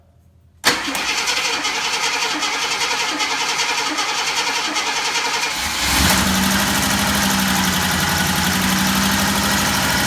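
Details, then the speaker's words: Old truck's carbureted V8 revived after priming the carburetor and hooking up the battery; the starter cranks about five seconds, then it catches and settles into a strong, even idle on choke. Normal cold start. "we're going to let it run long enough to make sure that the choke kicks off on its own"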